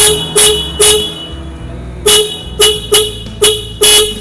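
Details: Denso dual car horn (Avanza type) fitted to a Yamaha RX King with an added relay, powered straight from the battery: seven sharp, loud two-tone blasts, each full strength; normal horn operation.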